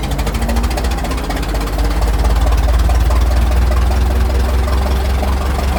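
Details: Restored 1921 American LaFrance fire engine (Licking County Fire Dept.), restoration finished, on a ride: deep, heavy rumble with an even beat of about two and a half pulses a second, no misses or clatter; healthy normal running.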